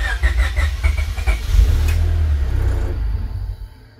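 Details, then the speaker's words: Honda Civic hatchback build after installing new injectors: cranks at about four beats a second, catches and runs a moment, then dies; owner suspects a missing ground, ECU or unknown wiring connection. "so you can see it kind of looks like it's about to start but then it just cuts"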